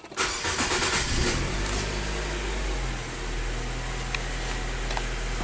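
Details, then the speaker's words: 2014 Nissan Sylphy after a P0304 cylinder 4 misfire, once the plugs and the number 4 coil were replaced and codes cleared: cranks briefly, catches cleanly and settles into a steady even idle. No misfire, check light off, fixed. "now let's see the check light is off yes it is I'm gonna do the Phantom codes again all right cool so basically this vehicle is fixed right"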